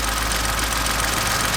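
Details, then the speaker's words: Kia Picanto at idle with the belt off (aircon, idler and water pump ruled out): a fast, light metallic rattle from inside the engine. Owner suspects timing or a bearing; not confirmed. "it's just the engine on its own it's still in there i reckon personally it's something to do with the timing maybe this sounds like a bearing to me"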